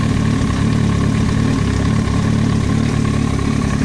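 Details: Yamaha YZF-R1 inline-four at idle: fast irregular tapping over the exhaust rumble, an extraneous noise from the cylinder head; top-end knock, cause not identified.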